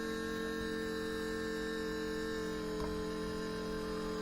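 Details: 4WD Daytona temporary fuel system with lift pump, surge tank, high-pressure booster pump and adjustable regulator; pump on battery power while regulator is turned from 40 toward 60 psi; steady constant-pitch electric hum, no rattle, surge or wandering whine; pump running normally.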